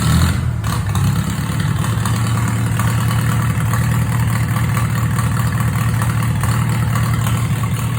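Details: Farmall H tractor's first start after rear gearbox PTO, bearing and drive unit replacement, new gas tank and rewiring, on a recharged battery without choke: starts and settles into a steady, even low rumble with no knocks or misses, a healthy idle.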